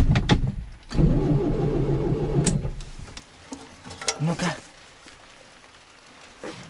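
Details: ZAZ 968M, supply and return hoses reconnected: starter spins steadily under two seconds, never catches. Still no fuel delivered; after further work the pump pumped normally. Crank, no start.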